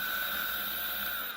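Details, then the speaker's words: Motor after replacing rotor tip bearing, both pinion gear bearings and nylon gear lid and case bearings (rotor base bearing not replaced); running free, steady high whine with a lower-frequency tone remaining, not sounding like before. "kind of a lower frequency noise in there now but I guess I'll strap it in take it for a test ride and see what it sounds like"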